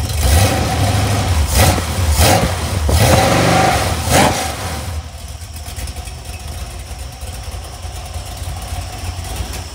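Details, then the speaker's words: Iron 5.3L LS LM7 V8 (believed 2002–2003, mileage unknown), supposedly a BTR Stage 2 truck cam, on a run stand with mufflers back on: deep burble, sharp throttle blips, then steady even idle; cleared up nicely, runs clean. "yeah this thing cleared up really nice"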